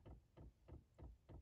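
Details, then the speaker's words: 5 kW Chinese diesel heater installed in a 1995 Chevy Astro van, priming through a long fuel line: soft, even dull ticks about three per second from the dosing pump; normal fuel pump priming. "pump and it'll speed up i think but this is going to take a little bit to prime that that long distance of fuel line"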